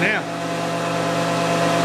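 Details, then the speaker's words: Shaper after repair, spindle refitted, running without a cut: smooth, steady hum with even belt whine and no knock or bearing growl; normal running, much better than before. "oh yes much better that's better good smooth running now"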